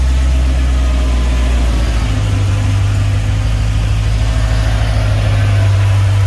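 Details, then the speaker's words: Box Chevy Caprice with LT1 V8, first start a few hours after sealing an exhaust leak with RTV sealant: deep, steady, even idle rumble with no puffing or ticking, sounding way different; the exhaust leak is fixed. "Let's go ahead and fire it up, see how it sounds. See if that exhaust leak gone. Oh yeah, it sounds way different."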